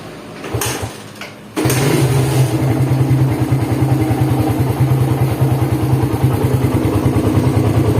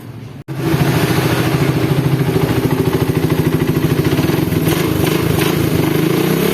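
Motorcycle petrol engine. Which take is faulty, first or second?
first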